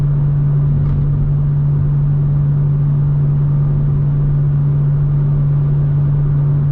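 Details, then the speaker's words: BMW M2 on cruise control at 3000 rpm, about 77 mph, with Active Sound Design under test. A constant deep boom fills the cabin, loud enough to make talking difficult, across the whole spectrum rather than one frequency: exhaust drone at cruise. "you can hear the drone in the car because it is quite difficult for me to talk above the drone"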